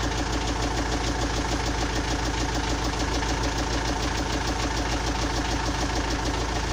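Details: Engine at steady idle with a regular knock a bit over once per second riding on the engine note; source unknown, cause only suspected.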